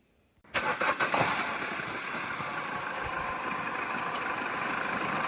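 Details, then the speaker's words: Peugeot 207CC petrol engine with codes P0014 and P11A8 and the engine light on, slightly warm at start-up: brief clattery rattle, then a hunting, slightly uneven idle; timing chain stretched. "So yeah, so basically what's wrong with this one is the timing chain is stretched."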